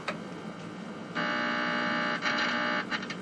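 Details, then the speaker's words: 1949 Admiral 19A11 7-inch electrostatic TV under restoration, test signal injected at the volume control: flat steady buzz with a hard edge cutting in and out; buzz goes away while connected; audio-stage fault, original wax caps suspected. "well it does something while i got it connected the the buzz goes away"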